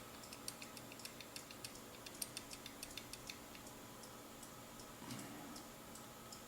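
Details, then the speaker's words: AEG V3 airsoft gearbox shimmed blind, gears turned slowly by finger with the motor still attached: light, evenly spaced ticks with no binding or grinding and slight resistance; the shimming is judged nearly perfect. "i think this is almost perfect you can hear a wobble in here i'm going to say that that's perfect right now for what i can tell"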